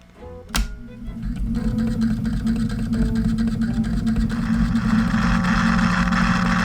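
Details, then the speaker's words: 1947 Silvertone wire recorder/phono/radio, before recapping: playing a found music wire gives muffled, smeared music under heavy low hum, barely intelligible; head can read, weak garbled playback, recapping expected to help. "I found a spool of wire that uh it's got some music on it now it's really hard to make out but uh at least it's telling us that the head can read it"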